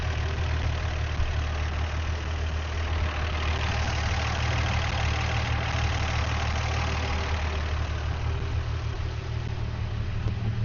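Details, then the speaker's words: 53-year-old Dodge Demon slant six after carburetor idle-jet work, running well enough to set the timing, original accelerator pump still working: a steady, even, smooth low idle with no knocks or misses, so normal idle. "And it all of a sudden just came alive and just boom, like smooth running slant 6."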